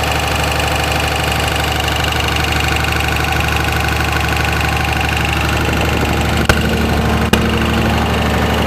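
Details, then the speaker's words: 2004.5 Ram 2500 Cummins diesel idling: sharp, uneven knock two or three times a second over the clatter; heard in reverse when the truck bounces on brake release, goes away at idle; cause undetermined. "Let off the brake, truck bounced back and forth, and you can hear it when it bounced, but you can't hear it at idle. Yeah, it goes away at idle."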